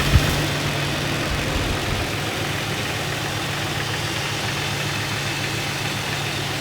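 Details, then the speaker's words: Jeep 4.0L engine idling, heard without amplification: steady idle with a dull knock coming and going deep in the middle of the block, hard to place; unknown cause, could be mistaken for piston slap, no double rap on throttle tip-in. "the ambient noise is very hard to pinpoint almost impossible to tell where the sound is emanating from it seems like the middle of the engine block this noise could be easily mistaken for a piston slap"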